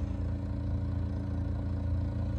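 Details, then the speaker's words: Package unit heater X13 blower motor with red and green jumped out: low heavy hum with faint rattle, barely spins, never builds speed; module judged bad. Motor ramped up after the jumper came off, then stopped. "the module it bad it barely spins and that's got red and green jumped out"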